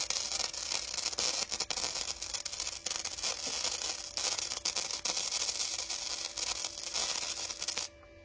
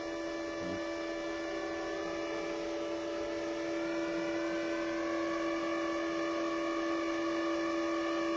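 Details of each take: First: Parkside PIFDS 120 A1 flux-core inverter welder raised progressively to setting 1.5 gives a thin, erratic spitting crackle that stops abruptly; weld only stays on the surface because power is set too low. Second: Parkside PIFDS 120 A1 flux-core welder with the nozzle removed and wire feed at the maximum setting of 3 gives a steady, high motor whine holding one pitch; normal wire feed at maximum speed.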